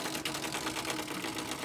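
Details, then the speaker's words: Fiat 500 with damaged, leaking radiator previously treated with a leak sealer; the powered-up cooling fan gives a quiet whir with a rough rapid ticking rasp; sealer getting into the fan bearings is suspected, not confirmed. "whatever this sealer is has got into the bearings, I think, is what the issue is here. So long term, it's not good."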